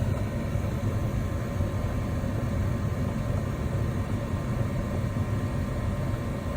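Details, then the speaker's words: Lennox ML180 gas furnace in a crawl space, on a no-heat call where it would not stay lit: after service it fires with a steady, even burner roar, no pops or surges, running longer than before. Cause was a dirty flame sensor. "So there's on. Sounds good. I'm pretty sure that's already longer than it ran before."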